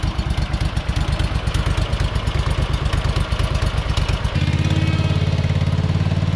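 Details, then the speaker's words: Hustler Super Z mower, Kawasaki engine with 1900 hard hours, test run after rebuilding the 66-inch deck with new components (blades previously hit each other): even, steady engine beat settling smoothly as load changes, no grinding or blade strike; normal running. "i mean this thing is just so great i mean that's 1900 hard hours on that kawasaki and just listen to that thing"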